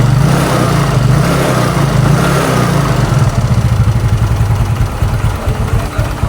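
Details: Used Yamaha Mio carbureted scooter on its stand, newly bought, weak power: rough uneven beat with faint metallic pinging louder when throttle opened; rocker arm and camshaft area suspected. Engine pinging with low power.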